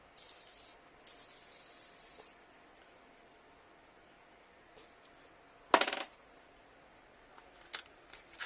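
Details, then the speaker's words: Maktec MT960 4-inch angle grinder, removed inner drive gear bearing spun by hand: dry, hissing rasp that dies away; worn rough bearing causing the grinder noise, would eventually break and damage the gear; replaced with sealed 6201RS. "ตัวนี้นะครับเป็นตัวต้นเหตุของเสียงดังนะครับซึ่งใช้งานต่อไปเรื่อยๆก็มันก็จะแตกครับ"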